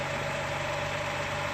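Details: 2010 Dodge Charger 3.5 V6 at steady idle: light, fast, diesel-like ticking riding on top of the engine note; rocker arm tick.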